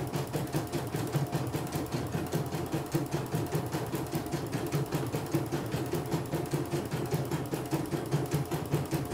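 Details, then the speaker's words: CNY E900 embroidery machine after repair of an unresponsive touchscreen and full cleaning, test run: steady, regular stitching clatter at an even pace, no knocks or skips; operating normally. "Seperti biasa tes ini aja ya, normal, normal."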